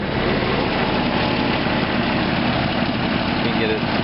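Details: 1993 Jeep Grand Cherokee after exhaust manifold replacement: low, steady idle hum with no puffing or ticking from the exhaust side; the engine idles normally.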